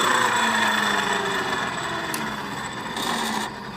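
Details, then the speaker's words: Honda Beat scooter final reduction gear (rasio), CVT cover off and secondary pulley removed, rear wheel spun by hand: rough grinding whine sinking in pitch, worse under load; worn final-drive gears/bearings, while pulley bearings and 6902 bearing were still smooth. "Suaranya sangat ngorosok sekali dan ini ojlak sekali tuh. Goyang dompet guys. Ini terlalu parah guys."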